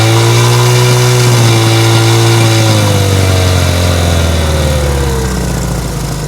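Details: Cold 1970 Honda CL100 single, about 11,000 miles, just freed from seizure, on partial (not full) choke: revs up, then sags in pitch and stumbles toward stalling; owner suspects an air leak; rough running on choke.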